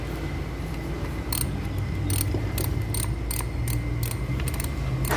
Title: HONDA CIVIC AUTO RELAY 12VOLTS RAPID CLICKING NOISE FUSE BOX ISSUE FIXED PAANO ALAMIN